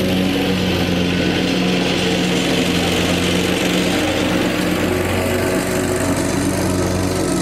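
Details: Lawn tractor mowing grass after fuel-problem repair: earlier fuel pumps failed, new electric fuel pump fitted; small engine runs steady and even with constant buzzing note, no stumbling, normal running.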